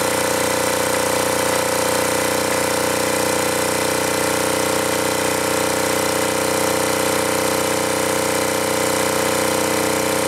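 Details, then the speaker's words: Acme Motori ADX 740 diesel, unused over 10 years, after reinstalling injector pumps, injectors and linkage: steady flat-out roar with hard diesel clatter; engine runaway at full throttle, throttle not working, suspected linkage problem. "Obviously, it's running full throttle. We can't have that. And this throttle is not working at all."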